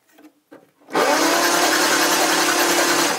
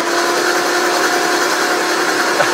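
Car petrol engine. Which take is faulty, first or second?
first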